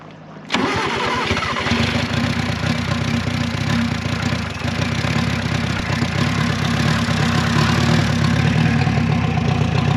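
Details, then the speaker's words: Renault 4CV abandoned 54 years, engine previously seized (pistons, cam, lifters, rockers frozen) and freed up: after catching, the small four-cylinder settles into steady, even idle, no knocks or misses; sounds healthy. "well there you have it that little engine actually sounds good I mean everything was frozen not just the Pistons but the cam the lifters the Rockers wow but it freed up and it sounds pretty good"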